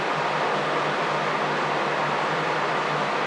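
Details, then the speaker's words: 2001 Honda Foreman 450 ES ATV: the cooling fan runs continuously at a steady full-speed whoosh; low 3 V at the fan and no change when the sensor wire is disconnected point to a bad fan control module. "Turn that noisy thing back off. So that's probably why the fan's hot wired, because the module's bad."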